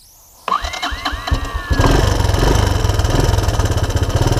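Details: 1984 Honda ATC200ES Big Red after no-spark fix with 12-volt DC CDI ignition upgrade: a few starter turns, catches cleanly and settles into an even, steady single-cylinder idle; starts and runs fine.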